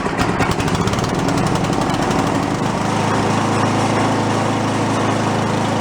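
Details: Toro 1132 snowblower pulled from bulk trash, fuel dribbled in before starting: choppy firing pulses for a couple of seconds, then a steady, even beat; normal running.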